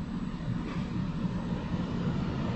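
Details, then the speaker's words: MaxxAir roof fan in a Grand Design Solitude S-Class 2930RL-R RV, with no vent cover fitted. It had whined high-pitched, but on high there is a steady, even airy rush with no whine; normal. "there it goes on high it doesn't do it"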